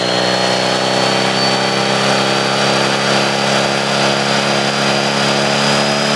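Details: Honda Ruckus scooter: steady small engine hum with a thin high whine riding over it throughout; abnormal variator noise, cause not identified.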